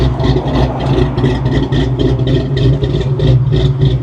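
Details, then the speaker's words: 1993 Ford Mustang GT convertible, manual, auction buy, driving top down: choppy, uneven idle loping about three to four beats a second; owner unsure whether it is a cam or the engine running badly. "I do hope that's a cam listen to that that's either it's running like crap or it's got a nice little cam in it cuz that sucker sounds choppy"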